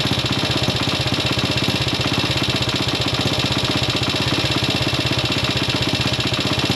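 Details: Classic Italian Gilera 124 5V lightweight, fresh off the workbench, at warm-up idle on its first proper road run: a fairly regular beat near four pulses a second with unevenness and popping. Owner suspects it is only carburation; jetting, plugs and points timing are still to be checked.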